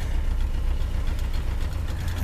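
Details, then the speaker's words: Rover P6 cold start in cold weather, not yet warmed up, choke nearly in: deep low idle with slightly uneven, lumpy beat, no spluttering; mild rough idle when cold. "but she's just running a little bit lumpy"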